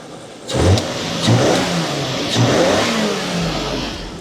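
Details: Nissan Stagea with an RB25 NEO engine after MAF sensor cleaning: throttle blips rise and fall slightly uneven and stumbling; it still shakes.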